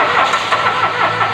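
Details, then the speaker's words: Mitsubishi Mirage G4 towed in after stalling, cranking but not starting: steady rapid starter churning with no catch; no fuel comes out when cranked, pointing to a fuel pump problem. "talagang lumabas mga boss walang lumabas na gasolina ibig sabihin niyan mga kat turnilyo may problema tayo sa ating ah fuel pump"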